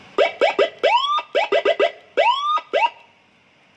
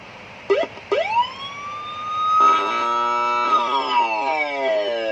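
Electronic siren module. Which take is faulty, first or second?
second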